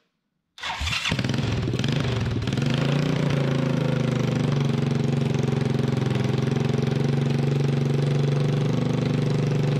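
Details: Freshly rebuilt 1988 Honda TRX200SX single-cylinder engine, out of frame, cylinder bored .020 over, new crank bearings and seals, JB Weld on cracked stator cover; cranks, catches, settles to steady even thump, no knocks or rattles: normal idle.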